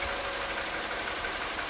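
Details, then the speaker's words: Mini Cooper petrol engine idling steadily and evenly after an ignition coil replacement fixed a single-cylinder misfire and the error code was cleared; no rocking or stumble, sounding perfect now. "let's fire the car up and that's sounding a heck of a lot better the engine's not rocking or anything like that that sounds absolutely perfect now"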